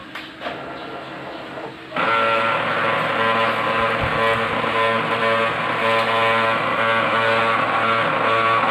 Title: Brother DCP-L2540dw GRINDING SOUND #shorts #pinoytechs #dcpl2540dw